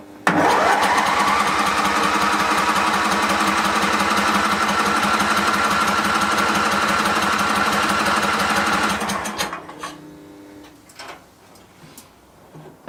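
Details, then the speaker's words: Barn-find Hayter ride-on mower, first start from a jumper pack on a weakly charged battery with fuel poured in: it catches and runs flat out, rough and uneven, for about nine seconds, then dies. Smoky, choke involved. "ah whoo love it when an engine runs kua nutty smoky though"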